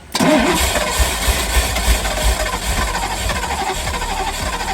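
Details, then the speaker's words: Ferrari 308 GTSi after new ECU and new injectors, injector line off into a glass for a fuel test: starter spins at about three compressions a second but never catches, not a drop of fuel delivered; crank no start, fuel starvation. "And nothing. Not a drop."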